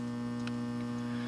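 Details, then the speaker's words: Large, almost 90-pound isolation transformer for a dim bulb tester setup, rated 48 A at 120 V: constant low buzz at steady pitch with no crackle or rattle. Normal hum of an energized transformer. "So it's a great big transformer. It does buzz, you can hear"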